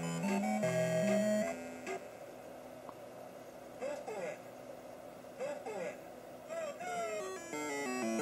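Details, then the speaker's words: Taito Crazy Climber arcade sound board with a 3900 op-amp piggybacked at 8P (earlier no voice, no climbing sound): chirpy game tunes with rising climbing effect and voice, all channels clean; fault traced to the 3900. "and now you can hear the climbing and the voice so listen listen for the climbing"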